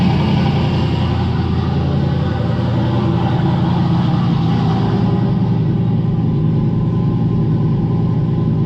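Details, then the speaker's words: Turbocharged Dart 363 V8 Fox-body Mustang, new build, brief late-night start after valve work, spilled oil smoking: deep, steady V8 burble at even idle with no ticking or knocking; sounds healthy. "don't worry about that smoke spilled a bunch of oil idiot but uh yeah sounds good"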